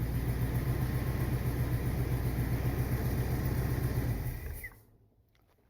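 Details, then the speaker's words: 1979 Corvette V8 with new glasspack mufflers, choke not connected, idling: an even lumpy pulse with a slight puffing tick, then shut off. An exhaust leak on one side, with no lifter noise. "I think it sounds much better. Exhaust leak on that side,"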